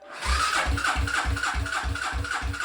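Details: 1995 Suzuki LS650 Savage converted to a chopper with a custom straight pipe, first start attempt after filling with gasoline, choke pulled: slow regular chug of about four compression strokes a second under the starter, no firing; cranks but won't start.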